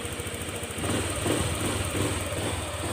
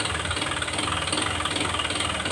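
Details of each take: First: Honda Click 125 scooter with 160,000 km, after the connecting rod and crankshaft assembly were replaced: it idles with an even, soft patter and no bottom-end knock, quiet and healthy. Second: Honda Click 125 scooter with 160,000 km, before repair, throttle blipped lightly: a sharp, quick knock with every firing from inside the engine, a worn connecting rod. The crankshaft and rod assembly is to be replaced.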